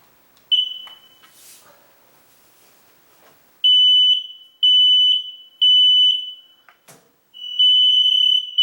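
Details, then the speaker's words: Newly installed hardwired smoke alarm test button pressed after breaker restored: loud high-pitched beeps about one per second, voice saying "fire", then a final chirp; normal test sequence after reset. "It chirped at the last and it said fire."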